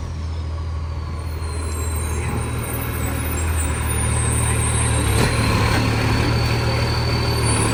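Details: West Torrens garbage truck 2013, diesel idling: loud raw puffing chuff about three per second over the engine rumble, a big exhaust leak.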